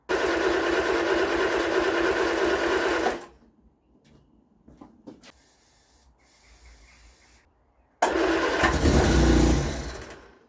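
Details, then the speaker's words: Vauxhall Viva HC with a rebuilt carburetor: it runs briefly and dies, then catches on cranking and flares before fading. It fires on carb cleaner but not with fuel in the carb; the drained fuel suggests water-contaminated fuel. "kicks over lovely she's fire and lovely but when you put a bit of fuel in the cob she won't start"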